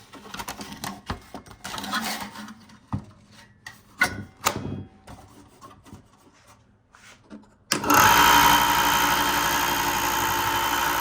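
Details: Ryobi 4x36 bench-top belt sander after bearing replacement to fix loud clicking, 120-grit belt fitted: spins up to a steady even hum with no clicking; bearings running smooth, normal running.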